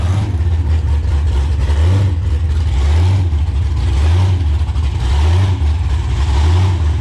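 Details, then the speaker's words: 2014 COPO Camaro with factory supercharger, baseline power run under load: deep V8 drone with a slow rhythmic swell about once a second, blower surging as never before; bypass valve had been blocked off, cause unconfirmed. "It's never used to blower surge like that. I don't know what the heck's going on. It sounds like one of those burnout cars from Australia."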